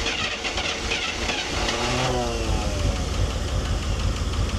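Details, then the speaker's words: 1983 Chevy K10 truck that sat over 20 years starts without the choke and settles into an even, steady idle with a low regular beat and no knocks or misses; it sounds healthy. "it just runs like and it sounds really good"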